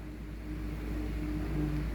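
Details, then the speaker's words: LG inverter washing machine with LE error, spin test after repair: drum starts smoothly and lightly with no heavy catching, smooth low hum climbing evenly as speed rises, no knocks or scraping; normal spin acceleration. "Nếu nó chạy Ok thì chúng ta sẽ thấy là cái lồng nó sẽ dạo ngay từ bước đầu nó sẽ trơn Chu nhẹ nhàng chứ nó không bao giờ nó bị mắc nặng các bạn nhá"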